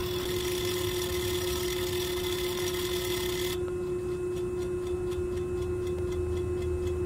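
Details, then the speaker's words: Trane air-cooled chiller, circuit 1 EXV tripping on alarm, driven in a service test after refrigerant equalized: sharp ticks about twice a second over a steady hum as the valve motor deadheads at full travel; normal end-of-travel ticking. "you'll hear, you know, when the valve deadheads and it stops, it makes a loud ticking. Well, that ticking is because it got under a load because it hit its furthest point."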